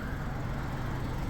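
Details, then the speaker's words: Hyundai Elantra idling: steady low, raspy rumble from an exhaust leak where two pipe sections join; fastener rotted away, soot at the joint; fix is bolting it back together, probably reusing the gasket. "So, our noise is coming from right here. So, you see where this two sections of exhaust pipe join. The uh fastener rotted away and it's allowing exhaust to leak through that spot there."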